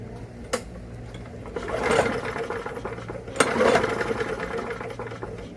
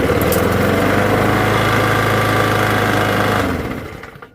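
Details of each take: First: Walk-behind lawn mower that locked up, which the owner calls vapor lock, pulled over with the spark plug removed: three bursts of quick chuffing whir with no firing; the engine turns freely. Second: Old used Briggs & Stratton lawn mower engine after clearing a vapor lock, started on one pull: steady, even single-cylinder putter at constant speed before shutting off. Running normally.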